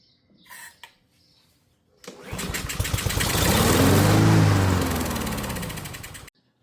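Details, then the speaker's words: Honda lawn mower that has gas and oil but won't start on pulls. On starting fluid it fires evenly for about four seconds, revs, then dies. This confirms a fuel system problem, and the carburetor is next to be torn down. "All right, confirmed. We do have a fuel system problem."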